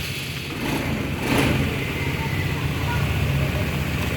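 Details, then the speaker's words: Honda Vario 110 FI with rough starter, stalling and a dead speedometer, now running after a fuse/relay fault, apparently a loose or dirty connection, was fixed: engine catches after a short crank, brief rev, then settles into an even, steady idle. "Oke, sudah menyala juga. Jadi permasalahan motor ini ternyata di bagian sekring relaynya ini ya."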